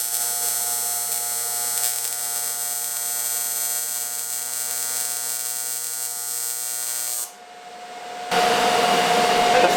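Steady high buzzing hiss with an even pulse, no sputter or popping; the arc sounds stable, right for aluminium on AC.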